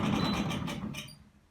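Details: Zanussi ZDE47100W vented tumble dryer on synthetics: rough droning rumble with faint squeal as drum turns, coming from the back; worn belt tensioner pulley, replaced along with belt.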